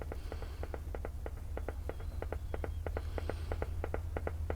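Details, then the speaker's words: Briton (Philips-made) valve radio under restoration on dim bulb, output valve fitted, 5Y3 rectifier suspected earlier: slow irregular putt-putt pulses over low hum, unaffected by tuning; slow motorboating, cause unknown. "What on earth is that? It's like slow motorboating. Not affected by the tuning."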